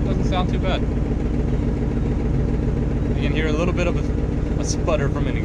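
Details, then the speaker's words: 1989 Chevy K5 Blazer, 350 5.7 L V8, 4-inch lift, first start of the year; idling and blipping with a rough, uneven sputter puffing about three times a second. Small exhaust leak, otherwise not terrible. "leak but overall it's not terrible"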